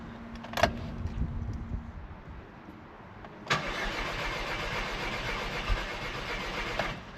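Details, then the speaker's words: Audi TT with a long-running misfire, after a cylinder head rebuild: cranked on a jumper pack with fresh oil and the fuel relay removed. Short starter burst, then steady even cranking with no catch or knock: normal cranking without firing. "Good. Nice few cranks. Good."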